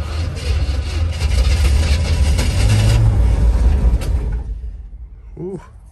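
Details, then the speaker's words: 1961 Chevrolet Impala barn find after 28 years sitting, starting fluid used, oil full: deep, uneven rumble pulsing about three times a second, then fading out; engine running but rough. "it's running but it's rough"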